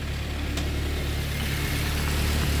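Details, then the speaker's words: K-swapped rear-wheel-drive Mitsubishi Starion idling after a tuner's street tune on a safe tune and spark plugs replaced for suspected fouling: steady, even low rumble with no misses, stumbles or hunting; tune bugs worked out, idling smoothly. "oh look at that awesome you can see it's idling really nice right now and you worked out a lot of little bugs that we had in the tune"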